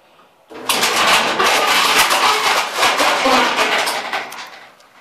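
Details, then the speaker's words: Maytag Centennial commercial dryer drive motor switching on, even without a load, into a loud, harsh, raspy grinding roar instead of a smooth hum: burnt-out drive motor needing replacement. "that sound nice well that's what a burn up uh dry motor sounds like uh obviously it's inen his better day"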